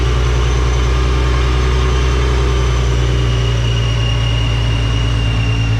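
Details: Nissan 370Z with a newly installed Soho supercharger kit: smooth steady low idle with a constant high blower whine on top; normal supercharged idle.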